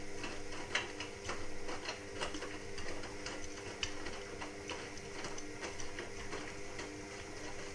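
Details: Indesit WIXL143 washing machine, stain removal, easy iron and door lock lights flashing, cause unknown: irregular light clicks in first 2-5 seconds over a low hum, then nothing, drum never turns, cycle doesn't finish; repetitive clicking.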